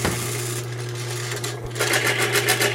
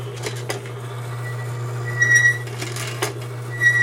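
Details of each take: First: Lubricity test machine: steady motor hum, then fast rattling chatter as galled, bound-up sliding surfaces (bound at 40-45 lb pressure) stick and slip even after Lube 2000 spray is applied. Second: Lubricity test machine running with thin aerosol die lube applied under heavy load: steady low motor hum holding constant, a few stray clicks, no grinding; no wear afterward; smooth running under heavy load.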